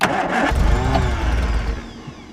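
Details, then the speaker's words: Classic Mini spare engine that wouldn't start, tried again with fuel and ignition on: cranks and fires into a ragged low rumble for about 1.5 seconds, then revs sag and it dies. Doesn't sound or smell good; catches then stalls. "Yeah. Try try and make it run with the throttle. Oh, doesn't sound good."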